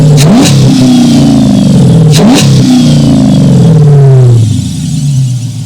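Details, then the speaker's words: Dodge Charger Pursuit with a new BBK 85mm throttle body replacing the 80mm, cold at 14°F, revved: sharp revs with a high squeal that climbs and slides with each blip, then fades as it settles; serpentine belt squeal. "That belt squeal, we're gonna have to ignore that right now. But other than that, man, it sounds good."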